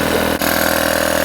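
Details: Three-phase air compressor run from single-phase 230V through a variable frequency drive, pumping back up from below 5 bar (cut-off about 6 bar): steady, even motor drone with a smooth pulsing beat and no knocks or rattles; it is running normally.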